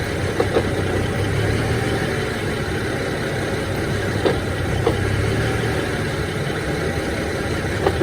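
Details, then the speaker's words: BMW E90, engine warmed up, idling with misfires, clutch pedal released: sharp, irregular intermittent clacks every few seconds, gone with clutch pressed, sometimes with A/C on; owner unsure, some suggest throwout bearing. "So here I go, I let it out. You can hear it immediately. It's intermittent though, so there it goes."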